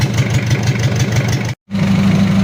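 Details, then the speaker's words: Mitsubishi L300 diesel (2010+) after an overhaul with a 12 mm rotor head: lumpy limping idle about five beats a second, with one cylinder dropping out because of a leak that is to be fixed; idle oil pressure is 4 bar. "Seteng di sini ada kebocoran jadi yang menyebabkan pincang itu ini Lur kita matikan dulu kemudian kita perbaiki"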